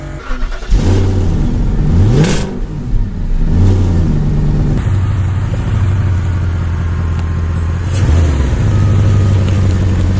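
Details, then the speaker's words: Audi A8 D2 V8, first run after a fuel pump change, fuel filter change and a fuel pump fuse replacement: it catches and settles into a steady idle, then picks up cleanly on smooth throttle blips, apart from a separate buzzing noise; running healthy. "oh this car sounds beautiful"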